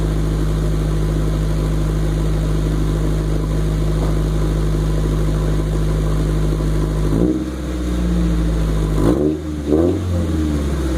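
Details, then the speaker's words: 1996 Honda Civic idling then throttle blips: deep, loud drone barking roughly like a modified exhaust, from an exhaust pipe rusted through with a huge hole ahead of the replaced muffler. "as you can hear um the exhaust basically sounds like you know you might say like a motorcycle or a race car a car with a modified suspens modified exhaust or something just much louter than the stock um the stock exhaust"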